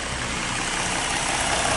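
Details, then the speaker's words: 2013 Ford Mustang V6, 38,500 miles, stock apart from permanent air filter, water pump replaced, mic at engine bay: smooth, even idle with light quick injector clatter, quiet belts, no knock or miss; healthy. "you can just hear the injectors clattering everything's doing its thing belt's quiet colors are quiet again that water pumps got replaced yep very quiet very nice"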